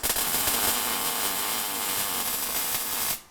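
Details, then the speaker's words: MIG welding practice tack-welded plates before welding a differential from an E36 compact: steady crackling hiss like frying bacon, even for three seconds then stopping, weld starting to sink into the metal; normal MIG welding. "you can see how it's starting to slowly sink into the metal a little bit better the murmurings of a weld there"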